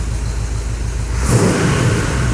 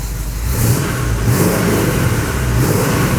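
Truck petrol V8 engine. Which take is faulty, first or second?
second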